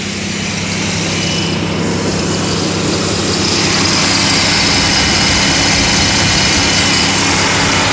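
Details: Pontiac Aztek being diagnosed for overheating, idling with radiator fans commanded to high speed: steady, loud, even rushing air. Fans confirmed working; overheating cause still unknown.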